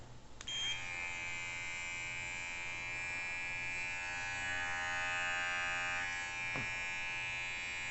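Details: Precisionedge A8S cordless professional pet clipper after cleaning and blade lubrication: starts and settles into a smooth steady high buzz with no rattle or scraping, running clean and even.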